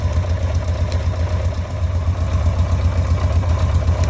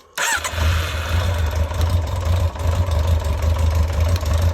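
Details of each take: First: Carbureted motorcycle idling after replacing a home-modified airbox with an original one, settings previously unstable: low deep idle with even steady pulse, no stumbles or hunting; owner says it has never sounded this regular. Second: Carbureted motorcycle after replacing a home-modified airbox with the original, carbs had run empty, bike leaning off its centre stand where it starts better: brief cranking burst catches into a deep uneven low idle that settles; slow to fire, cause unconfirmed.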